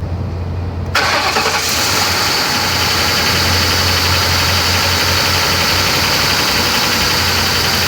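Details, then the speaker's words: Used Ford Crown Victoria Police Interceptor (P71) V8: starter catches, then steady idle with a faint quick regular tapping underneath; engine knock, a reason to avoid buying. "know you guys can hear that noise that right there friends is an engine knock"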